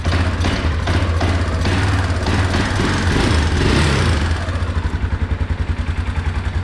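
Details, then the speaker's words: Small Kawasaki four-wheeler after exhaust valve adjustment (intake valve and carb still to do): single-cylinder thumps at a steady, quiet idle with no top-end ticking after the spark plug was reconnected; normal idle. "Dude, she's quiet now. She'd probably be good to go like that, but I'm still gonna pull that carb off."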